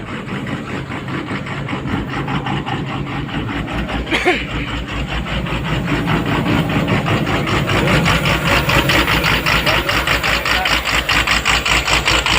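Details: Komatsu PC200-8 excavator common-rail diesel, previously crank-no-start from a defective rail pressure sensor giving no rail pressure: steady idle with even beat about two and a half per second, no misses or knocks; runs normally.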